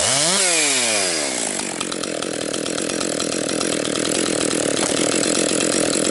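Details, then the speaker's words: Rebuilt Husqvarna 262XP chainsaw during break-in, compression come up, bucking dry, dusty pine with rotten and hard spots; revs up crisp and holds a strong, even high scream through the cut without bogging; normal cutting under load. "But anyways, good break-in for this saw doing this kind of work."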